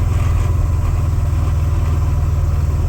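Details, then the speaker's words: 1998 Subaru Impreza just swapped to a 2005 Legacy 5-speed manual. A low, fast pulsing drone of about four beats per second over the engine on throttle lift-off, absent under acceleration; a drivetrain noise of unclear source. "I'm just not sure what that noise is. So, yeah, so we'll figure it out. Again, there's that noise."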